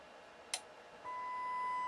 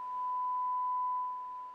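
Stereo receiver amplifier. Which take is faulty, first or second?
first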